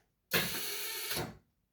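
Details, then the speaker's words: Widebody WRX wagon racecar, first Haltech ECU power-up: a harsh hissy electrical buzz from a relay that starts sharply and stops about a second later. A different relay doesn't do it, so the relay is bad; the ECU is still unpowered. "Why are the relays making that? Why is the relay making that noise? Let's try that with a different relay. Okay, that one's not doing it. That must just be a bad relay."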